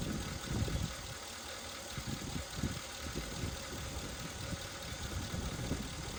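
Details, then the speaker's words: 1961 Mercury Meteor, 37,000 miles, parked 43 years, running on used spark plugs: lumpy, uneven idle with irregular soft chuffs and pops as a valve isn't closing and it spits back through the carburetor. "It does have a valve not closing. I can hear it spitting back through the carburetor."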